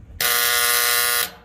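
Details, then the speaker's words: AC condensing unit contactor energised with 24 volts from the thermostat signal gives a loud, harsh buzz about a second each time as it sticks and chatters instead of pulling in cleanly; failing contactor. "contactor will engage you can see this is the problem that we were having earlier I keep applying 24 volts with the contactor [Music] stuck"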